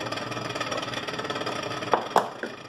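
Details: Continental RFCT455 duplex frost-free fridge: a fast rhythmic scrape and rattle as the evaporator fan blade hits built-up ice. The control board was not defrosting; the fix was resoldering cold joints and cleaning the relay contacts.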